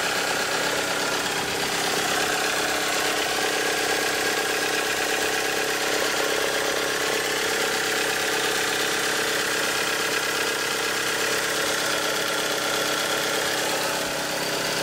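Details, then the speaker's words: 1998 Toyota RAV4 at full running temperature, low idle: fast, busy metallic valve-train clatter over the idle, steady with no load change; worn valve shims near the end of tolerance suspected. "at full temperature running temperature but you just hear the clatter clatter free obvious"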